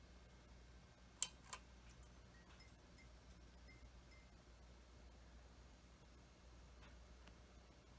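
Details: Likely early-1980s Mistral "Mistralaire" ceiling fan preheat fluorescent light kit, 20 W 6-inch and 22 W 8-inch circlines, one starter each: two sharp clicks then faint hum as tubes light; normal glow-starter start.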